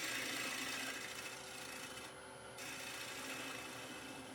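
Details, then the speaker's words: Bowl gouge cutting toward the middle of a spinning Norfolk Pine bowl on a lathe gives a rasp with a thin ringing tone. The harmonic vibration shows a very thin wall. "can hear the vibrations of the wall as I move the bowl gouge down to the middle of the bowl here. That means the harmonics in the spin is on a very, very thin wall."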